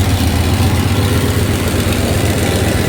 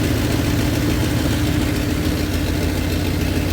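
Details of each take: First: 1993 Dodge Ram D150 with Magnum 5.9 360 V8, EGR hole blocked with inverted EGR, exhaust opening left unplugged: loud rough idle with uneven low chuffing two to three times a second; engine otherwise sounds good, exhaust leak noise. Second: 1993 Dodge Ram D150 with a 5.9 L (360) Magnum V8, which had quit while running and would not start, now warmed up: deep, steady, even idle with no knocks or misses, sounding healthy.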